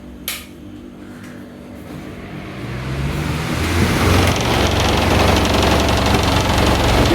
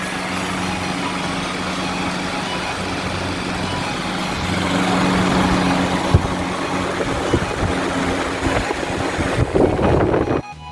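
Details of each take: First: New Havells Ventilair DB 12-inch (300 mm) exhaust fan, 70 W and 1400 rpm, delivered through Amazon with a dented, non-original grill: it spins up to a loud rushing hum with a rapid throb and shakes badly. Owner blames bent blades spaced unequally from the frame. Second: So now let's do a test run of the fan. You can see that the airflow is really good and the speed is really high. It goes up to 1400 RPM.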